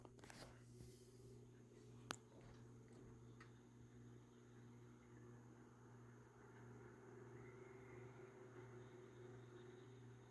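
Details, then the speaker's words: Galaxy (Lasko) 9-inch oscillating desk fan, model 2154, around 1993, on low speed: quiet, steady low hum with a faint even whir and no ticking or rubbing; fan running smoothly. "very powerful these nine-inch galaxies are very impressive is very quiet on low right"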